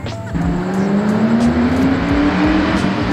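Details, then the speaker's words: Ford Mustang GT 3V V8 on a test drive after the dead fuel pump was replaced with a Holley 300LPH drop-in pump: deep V8 pulls cleanly through the revs with no misfire; running well, slight hesitation on first pull probably just getting used to it. "oh boy do I miss that sound yeah she's good she hurt just a little bit when I went first went but that is just getting used to it probably"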